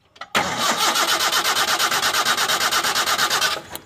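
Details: Toyota Kijang no-start, after rewiring the coil through its resistor and confirming spark at the coil lead: starter churns evenly, about four compression pulses a second, for three seconds without catching. Cranking no-start, cause still unfound.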